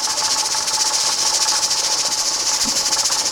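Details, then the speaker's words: Pressure canner with a 10 lb weight, canning raw corn: fast, regular hissing chuffs, three or four a second, over a steady whistle as the weight rocks at 10 psi, which is normal, before the heat is lowered for a 55-minute process. "I know you can hear it, but it's starting to wobble. That means that we've reached our 10 pounds of pressure,"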